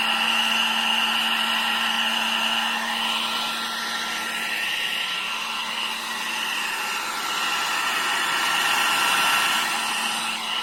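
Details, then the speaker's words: 1000 W foldable hair dryer after repair of its noise problem: smooth, even whirr with a steady hum and no whistle or rattle; the motor runs with its original normal sound. "तो आपने सुना आवाज में कितना बदलाव आया है जो इसका ओरिजिनल आवाज होता है वहीं आवाज आप इससे निकल रहा है"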